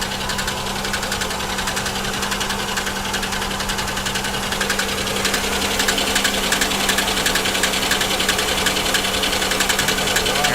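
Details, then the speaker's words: GM 3400/3100 V6 car at idle: fast, fairly regular light ticking about three or four per second; sounds like lifters, owner suspects blown lower plenum gasket with possible coolant in oil; valvetrain ticking, unconfirmed. "Actually, that does sound like lifters."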